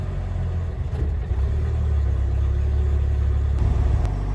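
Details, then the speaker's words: 1997 Jeep Wrangler TJ SE 2.5L four-cylinder, manual, ~205,200 miles, cold first start: settles to a fast, steady, even idle around 1,000–1,200 rpm versus normal 600–800; idle air controller and throttle body to be cleaned. "so the Jeep's obviously cold so it idles a little bit higher but uh this is a little bit higher than normal"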